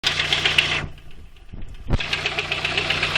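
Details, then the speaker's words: Volkswagen Golf 2, 1.6 engine, light fast metallic tapping over idle near the first spark plug, started suddenly while driving; owner suspected camshaft or hydraulic lifter, but the cause was a failed timing belt idler roller bearing. "мотор стучит где-то здесь в районе первой свечи и уповая на дом это не пойму я похоже распредвал может он или это компенсатор так стучит"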